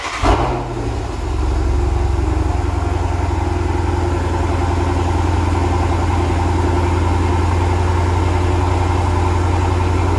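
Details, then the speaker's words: 2013 Dodge Challenger 6.4L at idle: deep steady idle with uneven lope and a dropped beat about every other second; consistent single-cylinder misfire on cylinder 3, traced to a collapsed lifter. "And they're saying it's got a pretty consistent misfire at idle. Oh God. Feels like a single cylinder miss. Yo, you can feel it all right. You can hear it a little too."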